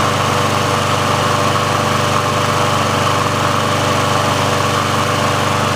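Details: Briggs & Stratton engine on a Sears Craftsman mower after service/repair, warm with the auto choke open: steady, even small-engine drone at constant speed with no misses, surging or knocks. The auto choke works as it should, so this is a normal warm idle.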